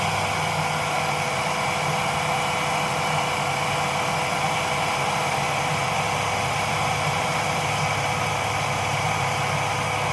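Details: Jeep idling with its air filter housing left unsecured: a steady throb with a hissy, uneven intake note and rough running; once the housing was secured the engine ran smoothly again.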